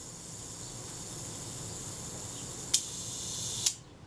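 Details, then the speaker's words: Agfa Agfaflex SLR camera during servicing, front cover reassembled: self-timer escapement buzzes steadily for a few seconds then release clicks; timer runs down normally. "Does the self-timer work? Let's find out. Can hear it running down."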